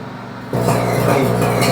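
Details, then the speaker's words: Microwave run with water inside: loud mains hum with uneven crackle, sparking inside the cavity; magnetron and mica cover to be checked. "o que tá acontecendo rigou com começa sendo mais faísca lá dentro né Aí vou desligando ele"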